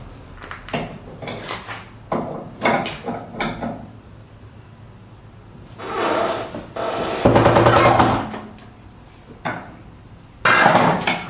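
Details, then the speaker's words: Citroen Relay camper van, rear suspension: slow woody creaks and groans in bursts as weight settles back onto the rear leaf springs, occurring on uneven ground; owner suspects leaf spring bushes, likely the swinging one, possibly both sides, not confirmed. "Right, I think it's the bushes on the rear leaf spring. Now you've got one static one and one swinging one."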